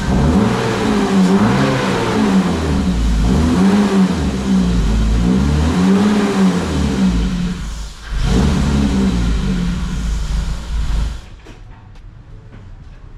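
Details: BMW E36 with the battery disconnected after a PCV replacement: engine surges and hunts roughly for about ten seconds, then sags and dies; the MAF is suspected next, to be disconnected, cleaned or replaced.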